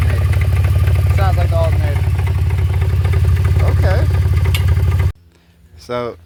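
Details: BMW E46 325xi at idle: a steady low drone with a faint, even knock about three times a second from the front accessory drive, not the engine internals; power steering was ruled out and the alternator is suspected, not confirmed.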